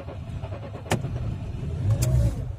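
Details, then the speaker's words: Ford Focus hard cold start at -13 °C after overnight -19 °C, battery removed and charged at home: rough, uneven engine note struggles to catch and labours before holding. "затратила запер дело короче видимо ночью были потуги у нее завестись но не получилось вот завелась -13"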